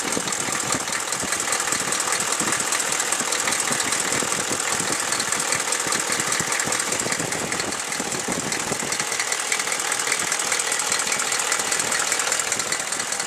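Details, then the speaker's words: Chevy 6.5L diesel, warm idle after a blip of throttle: a steady ticking knock of about 2.5 per second over harsh diesel clatter. It is much worse after revving. The owner suspects a valve or rocker arm needing adjustment; unconfirmed. "Give a little gas. It does it real bad after you."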